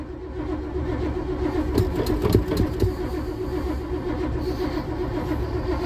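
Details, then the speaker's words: 1987 Winnebago, cold start after sitting, battery terminals upgraded from side post to top post, gas pedal pumped: the starter churns the engine over in uneven pulses without firing; it cranks but won't start, and turns out to be nearly out of fuel. "It sounds like a whole lot of nothing. Come on you old 54"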